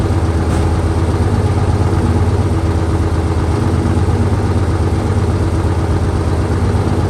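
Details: 1968 Dodge C500 truck on a cool day, about 15° colder than before, started via jump from another truck and starting fluid: low, steady thumping idle with an even beat, no knocks or misses; idling normally.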